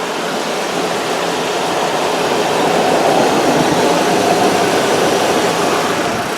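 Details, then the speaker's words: 2000 Daewoo Leganza CDX, 16-valve four-cylinder: steady, even hum at idle and revving with no knock, valve-train noise or taps; runs like a low-mileage engine, normal idle. "obviously you don't need to be a mechanic to know there was no High Rev knock there there's no valve train noise no Taps nothing this you know runs like it's got 50 000 miles on it"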